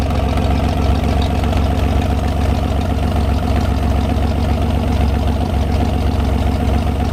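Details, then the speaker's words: 1973 GMC 432ci V6 engine, out of a parted-out truck and sitting unstarted almost five years, run on a can of fuel after light prep: deep, steady low rumble with even firing pulses, no knocks or misses; normal idle, smooth and healthy. "but it's really great to hear this thing run after having it for almost five years now one heck of an engine absolutely love the way these v6s sound"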